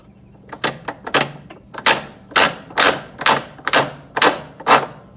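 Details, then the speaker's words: Top-load washer MVWC465HW2: sharp clacks about twice a second as the splutch drive clutch teeth slip and ratchet against their grooves under load. They hold when pushed hard and slide when loose, so the worn splutch drive kit needs replacing. "you can see the teeth on this little Focus there and they fit into these grooves and teeth right here sounds like they're rubbing against each other or"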